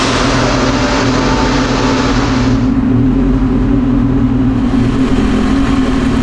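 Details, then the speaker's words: Turbocharged Acura RSX Type S, FWD, on dyno: strong, even engine roar under full load with no stutter or break-up; healthy full-throttle pull, 562 hp on 19 lb boost, data log good. "we're at like 189 everything looks good in the data log felt super good super crisp with the other boost controller"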